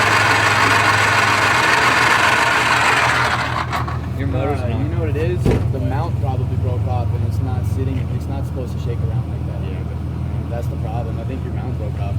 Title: Subaru Forester weird engine noise